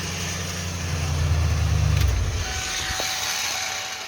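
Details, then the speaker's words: 1996 Ford F150 5.8L gas V8 with failing starter, engine run then shut off: a thin whirring and faint high whine linger as it winds down. The starter drive isn't disengaging and keeps spinning with the flywheel. "so yeah this starter is on its absolute last leg because you can hear i don't think it's letting go it's supposed to it engages the flywheel and it's supposed to like go with the flywheel i don't think it's letting go because when i shut it off it was still spinning like it was still attached to the flywheel"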